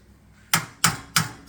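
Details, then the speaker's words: Harley-Davidson during pre-trip maintenance, engine off: four sharp clacks about three per second as a cover is shaken. The cover had come loose before because its brackets broke. Owner is almost positive this cover is the rattle, not confirmed. "and that sure could be it you hear that it's the cover and i' I've screwed it on before because it it came loose the brackets broke"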